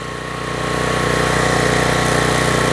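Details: Troy-Bilt pressure washer engine brought in with run issues, test run with water on: steady, even drone under pump load with no stumbling or surging; runs smoothly now.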